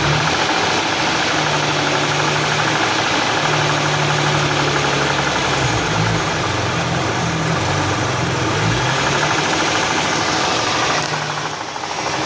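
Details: Hyundai V6 at steady idle with a light, uneven tapping over it and a brief rev; knock-type engine noise, source unclear.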